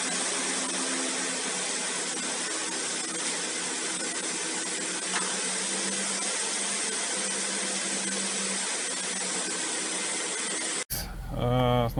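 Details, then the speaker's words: 2012 Hyundai ix35 G4KD four-cylinder at 149,000 km after rebuild (0.5 oversize bore, new timing chain, polished crank and cam journals, repair pistons): steady even hum with no tapping or knocking, running excellently. "так самый живой мотор работает отлично уже прокатились пару раз"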